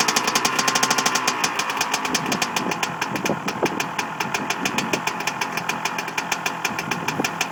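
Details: Two-stroke engine on its first kick-start after a rebuild: crisp, fast, even popping settling into a steady idle with no knocks or rattles; running healthy.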